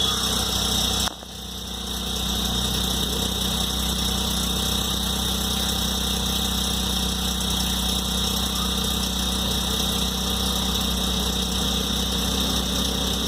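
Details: Hyundai Venue 1.0L turbo petrol on a cold start: it settles into idle with a busy, rattly clatter at about four beats a second over a high hiss. The dealer was unable to fix it, and the cause is unclear.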